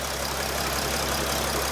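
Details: 2013 Mercedes Sprinter 3.0L diesel with codes P0301 and P16C200, running rough and losing power: a hissy idle with a regular, uneven low-end pulse as one cylinder misfires and the engine shakes badly. Lab scope shows the injector wiring is good.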